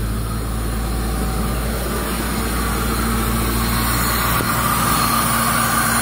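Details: Toyota Revo 7K engine after burnt wiring repair, with distributor, throttle body and injectors replaced, check engine light on: fires and settles into a steady, even idle with a low hum, no knocks or misses. Running normally.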